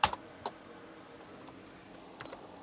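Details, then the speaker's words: Toshiba HX-10 MSX computer after a black-screen repair, with the keyboard plugged back in: crisp, spaced single key clicks, and Control-G gives a beep. The keyboard responds and the machine has booted normally. "just hear the beep so that's awesome wow i'm so happy it's actually booted up"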